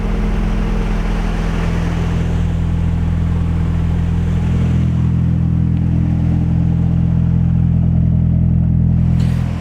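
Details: Nissan 240SX S14 with a KA24DE, idling after its first start: deep, steady, even rumble at constant speed with no ticking or knocking. Healthy running after warm-up.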